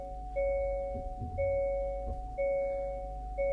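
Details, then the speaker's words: Rear parking sensors on a 2023 Hyundai Santa Fe after sensor replacement, reversing toward a car: clean high beep about once a second, steady and even, centre and both side sensors triggering normally. "All working as they should, all flagging up."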